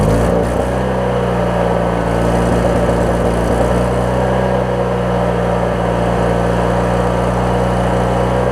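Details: 20-year-old Craftsman riding mower, Briggs opposed-twin engine, after drive belt replacement and starter check: steady even drone with constant low beat, no knocks or misses; engine running healthy.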